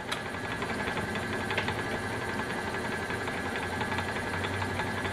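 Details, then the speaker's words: Refurbished Frigidaire Multicold compressor, belt-driven on a test stand breaking in its seal against slight restriction, not under load: steady even low drone, no knocks or rattles; running normally. "So you hear the compressor running there in the background, breaking in the seal."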